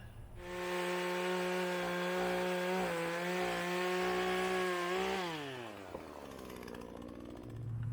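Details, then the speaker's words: PoulanPro 4218 chainsaw after top-end rebuild with aftermarket cylinder and piston kit, following overheating and lost compression; starts on the second pull, burning off added oil: clean, steady high buzz that dips briefly under load and recovers, then winds down smoothly; running normally. "Second pull. We're getting some of the burn off of the oil that I put in there, but I'd say it's a success."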